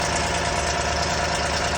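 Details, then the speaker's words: 2021 Toyota Land Cruiser 5.7 V8 at idle: loose, busy metallic rattle over a steady idle; began in March only on cold starts for seconds, now lasts 5–10 minutes, louder and random; owner suspects lifters, tensioner or crank, undiagnosed. "طلع الصوت غريب من ماكينة سيارتي اللاند كروزر موديل 2021 مع ماكينة 5.7 8 سلندر. هذا الصوت قام يطلع في شهر 3 وكان بس على التشغيل البارد وما يتجاوز ثواني أو دقيقة."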